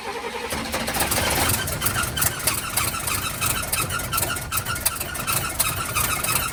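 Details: 1971 Cadillac Coupe DeVille that sat 15 years in a backyard, first start on starter fluid with fresh 91-octane fuel (white sediment in tank): catches, then ragged running with speed surging and sagging, can't hold idle; owner suspects fuel starvation.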